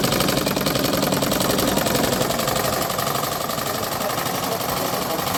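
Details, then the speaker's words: Analog sewing machine just after repair, stitching a test seam: fast, even needle-mechanism chatter at a steady rate, no catches or grinding, stitches coming out well; normal running. "দেখুন মেশিনটি ঠিক করা হয়ে গেছে। এখন সেলাই দিয়ে দেখতেছেন সেলাই কেমন হচ্ছে আপনাদেরকে দেখাই।"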